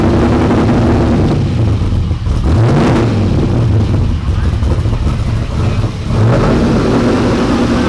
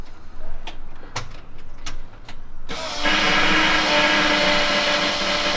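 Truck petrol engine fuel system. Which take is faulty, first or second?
second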